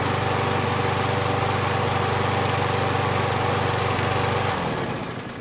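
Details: Husqvarna 6021P Kohler mower engine after the part under the idle adjustment screw was removed and the idle screw adjusted. Even, steady idle thump with no surging, then it winds down at shutoff; the owner notes it may also just have warmed up.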